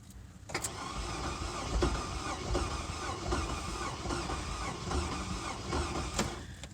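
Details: Durango that shut off on the expressway, jump-started with dead battery, cranking: fast, light, uneven cranking with no firing and no compression strokes slowing it; cranks but won't start, no compression suspected.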